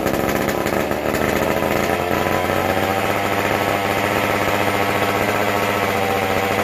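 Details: McCulloch Super Pro 125C chainsaw, first fire after cleaning, intake boot and hardware, new-old-stock muffler; on high speed with non-adjustable carb, it buzzes high, thin and flat, won't respond to adjustment, acts starved of fuel.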